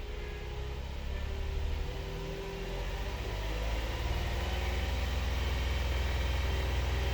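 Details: 2022 Hyundai Palisade, known-good car, started from key-on engine-off and raised to 2,000 rpm while checking fuel trims: a steady, deep, smooth drone with no knocks; normal running.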